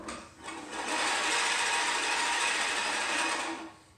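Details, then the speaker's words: Scott's Classic reel mower set tight with the reel contacting the bed knife: a rising and falling hissing whir as the reel spins and its blades brush the bed knife; normal contact noise from the tight setting. "that that is that real in that bed knife okay that's what that is okay"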